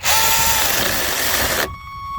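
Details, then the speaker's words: Second, noisier mini chainsaw on a DeWalt 20V lithium-ion battery, pushed hard into the wood; the loud cutting roar chokes off abruptly into a brief fading whine as the motor stalls under heavy load. "Yep, it definitely stalled out. Start it back up again. Try it again. Okay, so we know this one will stall out if you push hard on it."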